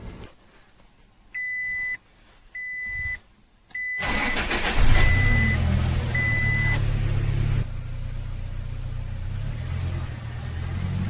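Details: Toyota Hilux 4x4 after refitting the drive belt to an idler/tensioner pulley whose bearing had made a kir-kir noise: key-on chimes, then an even idle with no belt squeal or chirp; fixed.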